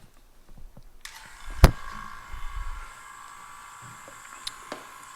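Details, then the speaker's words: 1969 Corvette C3 wiper door vacuum system, safety switch bench-tested with a vacuum pump: a steady airy hiss starts as the pump comes on and holds throughout as air leaks through the switch bellows; the switch needs replacing. "okay and we can hear it's it's well it's obviously leaking uh through here and when I plug this you can see it's it's actually leaking through the Bellows so yeah this thing needs to be replaced"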